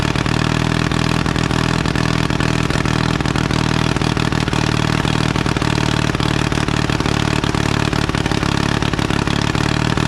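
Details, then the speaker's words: 1952 Caterpillar D2 crawler pony engine idling after restart, diesel turned over by it: steady even chug with firm low rumble, no knocks or misses; running healthy, steering clutches still frozen. "and now we know the pony engine works and the Diesel's just turned along like it did before"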